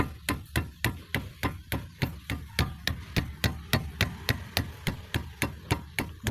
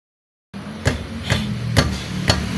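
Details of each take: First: 2005 Toyota Vios/Limo Gen 1, front left wheel that clunked like metal on metal over rough roads, after tightening the loose bolt: quick, even thumps from striking the wheel, about three a second, with no loose clunk following any blow. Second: Toyota Vios (Limo Gen 1, 2005), front left wheel: four sharp metallic knocks, like metal striking metal, from a loose brake caliper, also heard driving over uneven roads; quiet after the fix.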